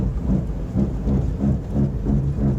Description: I had to replace both of my wheel bearings in the front. This is what Bad wheel bearings sound like.